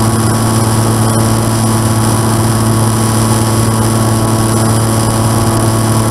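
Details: N735D piston aircraft engine at idle after spider replacement, at altitude, on approach and over the runway: steady drone with rough, uneven pulsing beneath; abnormal idle noise, cause not confirmed.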